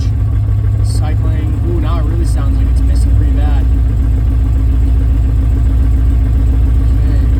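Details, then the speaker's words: 6.0L V8 swapped into an FD RX7 with an uneven, stumbling idle and missing pulses, a lean misfire. Fuel pressure is 25–35 PSI at idle against a 60 PSI spec and drops further with throttle; the fuel sample smells odd. "I had around 25 to 35 PSI idle spec should be around 60 uh as soon as you give it any throttle it drops down"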